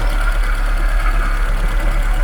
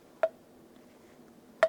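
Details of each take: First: Żuk van engine after exhaust valve seat and bent pushrod repair: a loud, deep, blatting idle with an open, unmuffled thump, because the exhaust pipe is not attached underneath. A bearing noise is also suspected to come from the generator or water pump. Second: and now the valve seat is also fine and I can install the valve into into the seat like that oh nice sound I love this sound of a perfect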